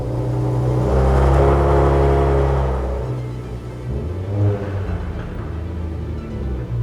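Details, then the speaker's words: Nissan G37 manual after a failed drag race on racing tires: engine revs in first gear, car barely creeps with rough clunking from the rear; clutch and gearbox feel normal, found to be a broken rear axle. "Okay, there's the noise he was talking about. So the noise is in the back of the car, which is a great sign okay."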